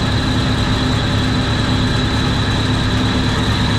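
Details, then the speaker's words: Commercial kitchen centrifugal exhaust fan on an ABB VFD at about 80.7% speed, drawing 1.3 A: loud fan roar and hum with an uneven buzzy rattle from a loose cover panel missing its screws. It quiets when the panel is pressed by hand. "This thing is ridiculous. As soon as I put my hand on here, it quiets down. That's already a lot better."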